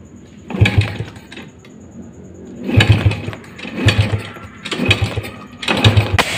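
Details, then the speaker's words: Rusi 100 motorcycle, carburetor just cleaned and throttle cable replaced, hard starting: repeated kick-start strokes with sharp backfire pops but never catches, with no proper idle; spark plug and ignition checked next. "Ba-backfire 'di ba? Yun ba-backfire siya. So ibig sabihin hanapin natin yung pangkalas ng spark plug natin."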